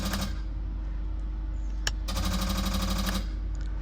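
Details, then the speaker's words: Twin-turbo Hemi truck warmed to 200 degrees with the cooling fan running: a click, then about a second of rapid buzzing chatter over the idle as the bump button pulses the transbrake, letting it creep forward while staging and staying spooled. "So that allows the truck, the vehicle, to creep forward when you're trying to stage and stay spooled up at the same time."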